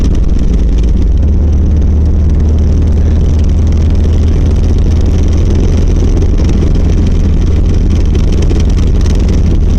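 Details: 1990 Volvo 740 while driving: a deep steady drone with a coarse shaking rattle that has worsened over six months; torque converter first suspected, then found to be the worn driveshaft centre support bearing.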